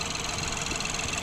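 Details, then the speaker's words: Ford Fiesta SFE three-cylinder with 71,000 miles, no warning lights, fires right up: smooth, steady idle pulse with no belt or tensioner squeal or chatter. The slight shake is considered normal for a three-cylinder; healthy. "No warning lights, fires right up. Idle's pretty smooth. Nothing out of the ordinary."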